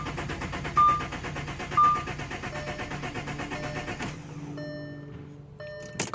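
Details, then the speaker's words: 2008 Audi Q7 3.6 Quattro after a fuel filter housing leak was patched, then the housing and fuel pump were replaced; no fuel reaches the lines or injectors although the pump hums: the starter churns evenly for four seconds and never catches; cranks but won't start. "as of right now the car is just cranking it would not start and I'll give it a crank right now and it's not here"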